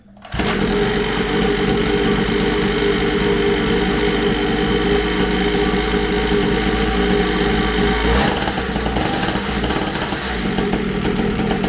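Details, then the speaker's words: Syx Moto 50cc two-stroke dirt bike after pull-start repair, no-spark fix and idle adjustment: loud, steady, high-pitched buzz at an even rate with no misses; normal running. "i adjusted the idle on it it runs pretty decent now"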